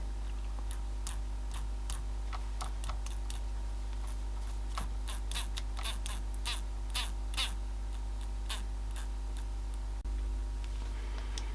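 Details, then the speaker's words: Copal RD-100 flip clock, motor after oiling: soft steady mains hum with scattered light ticks from the gears; motor itself now runs quietly and smoothly. "okay it all seems to be running all right nice and quietly so time to put it back together I guess"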